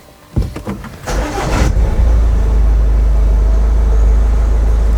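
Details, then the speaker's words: Ford Kuga 1.5 (2017 or 2019), towed in after stalling while driving and not starting, after a damaged wire was repaired: short crank, catches at once and settles into a steady even low idle with no misses. "Ну всё, автомобиль запускается, работает."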